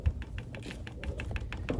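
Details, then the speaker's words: Camper diesel heater being set up: quick light ticking repeating a few times a second in a quiet room as its fuel pump works normally, pumping fuel to the heater motor. "but this is the fuel pump right here you can hear it and see it pumping fuel so it's going down there and underneath so it's pumping fuel into the motor"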